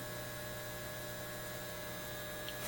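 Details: Repaired Lambda power supply on a BK Precision 8540 electronic load at 18 amps output, drawing 13 amps from the wall, heading for 20 amps: constant low angry buzz from its transformers, brief rustle at end; owner suspects rust.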